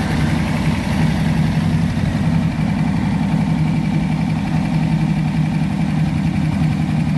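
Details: Pontiac 400 V8 in a T37 build after the valves were readjusted, with fresh rings not yet seated: a deep, even rumble with no ticking or misses, a smooth, healthy idle.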